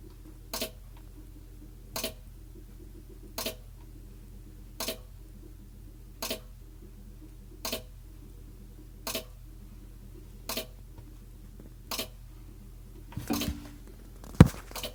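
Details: GE refrigerator: sharp single clicks about every second and a half, very regular, over quiet fridge hum at the back, starting right after ice was dumped from the ice maker tray and the tray put back.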